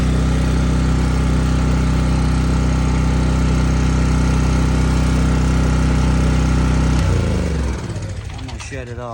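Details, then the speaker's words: Sportsman 4000 dual-fuel gas/propane generator, new, at 120 volt setting; started within a crank or two; steady even drone with no misses or surging, then smooth wind-down at shutdown; normal running. "it's too loud so it started back within a crank or two couple tranks"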